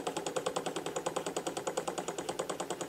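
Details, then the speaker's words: Newly built simple spirit-fired gamma Stirling engine, first afternoon, about 20 minutes total run, lubricated with light machine oil: crisp even knocks about 200 a minute from compression, no metallic clatter; running healthy. "that knocking you can hear now is is compression it's not metal metallic things coming banging on to each other"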